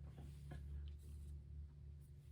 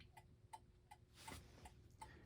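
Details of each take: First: c.1960s gothic mantel clock with Urgos movement, after repair on bench: quiet ticking limps, tick and tock unevenly spaced; pendulum out of beat. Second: 1960s Gothic mantel clock with an Urgos movement, previously out of beat and corrected by tilting the case: quiet, even tick-tock, one beat roughly every 0.37 seconds with matching spacing on both sides. Clock now running in beat.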